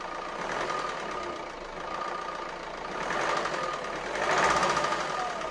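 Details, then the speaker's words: Renault Scenic 1.9 dCi 120 hp diesel, overhead-cam with hydraulic tappets, after replacing injectors: hard fast metallic clacking over a rough idle persists though valve clearances checked fine (under 0.2 mm intake, 0.45 mm exhaust); cause unresolved. "bon finalement je n'ai pas réglé le problème j'ai toujours se claquent au vent et ça c'est pas bon signe"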